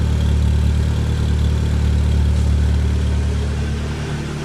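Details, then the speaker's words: Renault Clio 2 1.6 16v 107hp with new exhaust manifold and intake, exhaust line not yet fitted; smooth even low idle with firm exhaust note, no rattles, puffs or misfires; engine healthy, sound good. "Et le bruit c'est pas trop mal. Déjà rien qu'avec le collecteur comme ça, c'est vachement bien."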